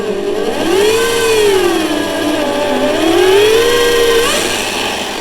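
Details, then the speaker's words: Parkside PTBMOD 710 A1 electronic bench drill (2020) at low speed: whining motor swings up and down, climbing in pitch when the screwdriver in the chuck is held back; electronics raise rpm under load, making work difficult. "Quando io provo a fermare il cacciavite, il numero di giri aumenta."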